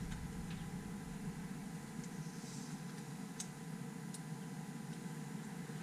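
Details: 1972 Suzuki GT380 two-stroke triple, cold start after 4–5 days unridden, kick-started; steady, even buzzy idle with no misses or stumbles, settling into a clean, healthy tickover after carb jetting and adjustment.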